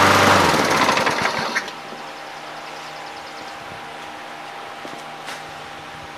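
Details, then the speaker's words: Junk single-cylinder mower after the handle-actuated stop mechanism was taken apart and reassembled. It fires with a loud, busy buzz for a second or two, then dies cleanly when the handle is released: normal run and shutdown. "it seems to run and it seems to die when I hit the handle so I'm gonna call that good"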